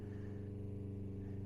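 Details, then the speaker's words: RV fresh-water pump during winterization, drawing antifreeze from a jug and pressurizing the water system; steady low electric drone with a faint even pulse and no stumbling, with no visible leaks; runs normally. "And right now you can hear it's pressurizing the system."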